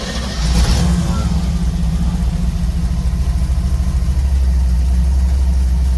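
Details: Cold-started 283 small-block Chevy V8 after sitting, idling with no gas pedal: low, steady chugging idle with a lumpy but even beat, no smoke, stumbles or misfires. Normal idle.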